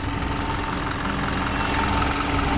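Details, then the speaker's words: 2017 Isuzu NRR truck diesel started after priming the fuel system: steady, even diesel clatter at a settled idle with no misses or surging; running normally. "Then you want to wait like 20 seconds, like the fuel start pumping. And after a while, turn the key and she makes room noises."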